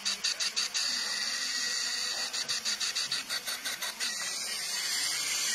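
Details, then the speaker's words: Cylinder leak-down test with intake manifold pipe off: steady high hiss of air escaping at the intake while the cylinder is pressurised, showing the intake valve is not seating on this cylinder head. "which gave me a complete uh understanding that the intake valve was not seating right on this cylinder head"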